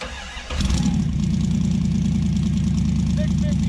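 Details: 1966 Dodge Dart GT 273 V8 on its stock-sounding street cam, before a solid-cam swap, started cold after sitting a while with two pumps. Brief crank, then it catches at once into a steady, even lope with no misses: a normal cold start.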